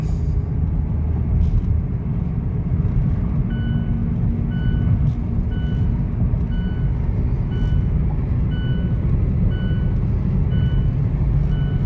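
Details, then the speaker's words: Mazda 2 Skyactiv driving at about 80 km/h: light low howling hum rising over road rumble, rising with vehicle speed; mechanic suspects a worn wheel bearing, still to be checked on a lift. "อ่าครับเริ่มมีเสียงเริ่มได้ยินเสียงแล้วครับเสียงหอนวึงๆๆๆๆๆอ่าคาดเดาคิดว่าเป็นที่ลูกปืนล้อครับผมคันนี้ไม่น่าจะเป็นอย่างอื่นไปได้เสียงอย่างนี้ครับเพราะเพราะว่าเสียงดังตามอัตราความเร็วของรถนะครับผม"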